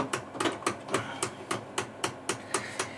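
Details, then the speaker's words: 1981 Bell & Howell RM850 computerized slide projector under repair, fault on power distribution board, carousel not finding home: sharp, evenly spaced knocks about four per second while focusing; autofocus motor banging, faulty. "so Power It Up we get a uh image on the screen banging in that motor uh we can for it all the mechanisms work there"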